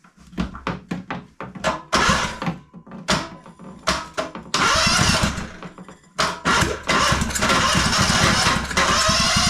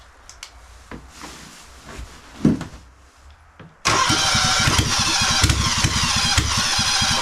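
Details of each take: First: Engine from a bought pile of small engines cranking in fast uneven bursts with a few harder catches, trying to pop but never firing; turns over but won't start, later fires on a makeshift fuel tank. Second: Kawasaki FX730V v-twin, on an engine stand and started by 12-volt trigger on choke: quiet fiddling, then it catches at once into a fast, steady popping run, about three to four beats a second; normal start.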